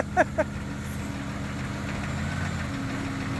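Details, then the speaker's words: Lifted Jeep Cherokee XJ rebuilt from a wreck, two years on the road, started with a weak battery: steady cold idle with a couple of sharp clanks early, then an even run with faint tapping and vibrating exhaust; engine noise cause unknown. "clinky [Applause] clanky exhaust vibrating tappity tappy nothing like an old Jeep"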